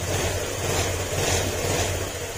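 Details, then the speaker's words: Honda Click 125 scooter after overhaul; steady even idle putter, no knock or rattle, former ting-tong knocking gone; normal idle, break-in needed for first 500 km. "Ayan o, tahimik na siya. Wala na yung tang ting ting ting tong tong tong."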